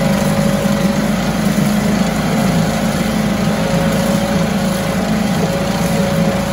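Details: 1974 US-made Mercury 4 hp single-cylinder two-stroke outboard, revived after long storage, running in a test tank after reassembly: steady, even buzzing drone with no misses or surges, runs like a top; normal running.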